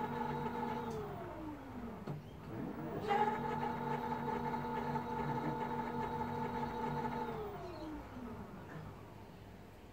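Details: ADDMOTOR Motan 20-inch fat tyre ebike, 48 V, just fitted with a 750 W Bafang geared hub motor in place of the 500 W one, in a first test after wiring. Smooth, even motor whine rises, holds and winds down with no grinding or clicking; healthy.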